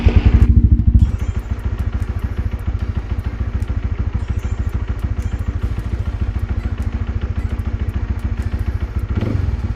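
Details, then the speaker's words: Honda RS150 motorcycle, single-cylinder, started right after an oil change and oil strainer service to check the drain nut and cap for leaks: steady even low thump at idle, no knock, tick or rattle; healthy normal idle. "Seterusnya kita hidupkan enjin, kita tengok ada tak leaking dekat nut bawah tu dengan penutup ni."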